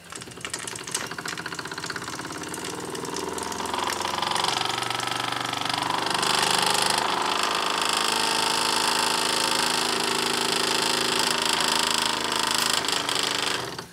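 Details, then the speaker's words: Wilesco D6 model steam engine, boiler not yet at full pressure: soft, even chuffing with a steady hiss building, beating slower than usual; small leak around the whistle also losing pressure, owner plans a new washer. "it's not up to full pressure yet it usually runs a little faster than that"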